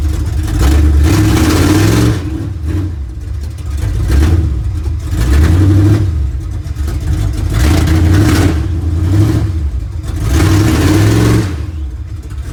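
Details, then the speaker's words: 1970 GMC with big-block V8, sat 10 years: uneven loping idle with throttle blips, beat stumbling now and then, like one cylinder missing; cause not yet found. Transmission also slips in reverse. "and i can tell there's a miss when it's idling so we got some fun things to play with on this one"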